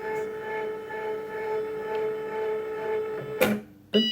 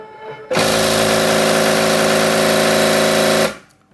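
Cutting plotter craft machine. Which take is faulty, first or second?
second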